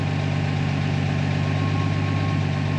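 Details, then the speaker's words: Jeep Willys with FuelTech injection, warm engine restarted with idle actuator set to 10%: steady even idle stays slightly high, not yet stabilised; high idle. "semble être un peu plus haut, mais attendons un peu le temps qu'il se stabilise"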